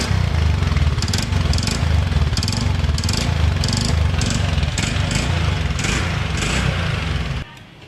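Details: TVS Ntorq 125cc BS6 scooter idling with a fast, uneven khat-khat clatter over the low thrum until it cuts out; knocking from the engine, cause not yet pinned down before the engine is opened up.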